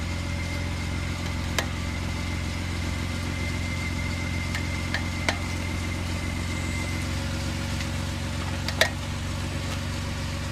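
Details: Steady idle with a few sharp, irregular pops, roughly four in ten seconds, not in time with the firing; source undiagnosed; intermittent popping noise.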